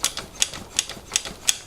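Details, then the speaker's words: Bianchi Strada road bike during tune-up, brake pivots and drivetrain lubed: crisp even ticking about three times a second as drivetrain spins freely, squeak gone; rear derailleur noted as very worn. "There we go. Squeak is gone now. Much better."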